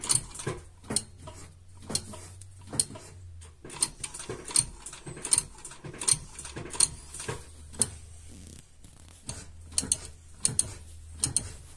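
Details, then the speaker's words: Lada Vesta rear drum brakes after pad replacement, handbrake pumped: sharp ratchet clicks in quick uneven bursts from the self-adjuster taking up slack, then clicks stop once adjustment is complete; normal self-adjuster clicking. "щелчки уже не слышно у нас уже закончились там нету Это говорит о том что у нас полностью регулировка уже прошла"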